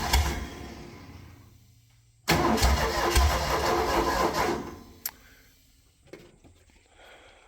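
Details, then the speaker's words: Cold 302 V8 air compressor with good oil pressure, no functional accelerator pump: fires with a burst, runs ragged a couple seconds, leans out, sputters and dies; rough cold running, stalling, owner suspects filthy carburetor. "Pretty cold blooded. Probably just the carburetor is filthy."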